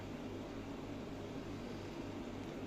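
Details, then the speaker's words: Marine aquarium chiller just switched on: a steady, loud whirring drone with a low hum underneath and no speed change. It runs noisily but still cools the water and holds temperature well. "Ну, дивіться, єдина проблема шумить, шумить. Чуєте? Так. От я тільки що включився. Отакий шум."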